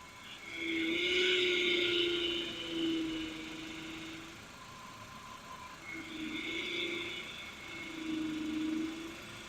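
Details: Power steering whine when the wheel is turned: a droning whine swells with each turn, the sound a power steering pump makes when it draws air into the fluid.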